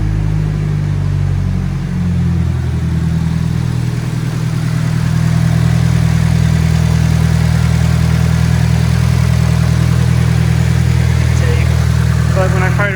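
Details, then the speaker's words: Nissan S14 Kouki SR20 turbo, 333k km, with downpipe, catalyzer and factory muffler: steady, even low idle with smooth rumble, no belt squeal or knocking; engine sounds strong and healthy. "up there was no belt squealing or anything of that nature the engine sounds strong doesn't sound like it has any"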